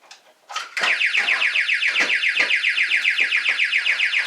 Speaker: Should your Texecom Premier panel activate whilst unset, you will hear this tone.